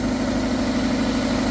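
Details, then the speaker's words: Toyota MR2 Mk3 with new battery and previously repaired exhaust manifold, cold, steaming from exhaust: steady, even idle with a smooth low hum and no knocks or misses; normal cold idle. "everything sounds good. You can see we've got steam. We've got exhaust fumes."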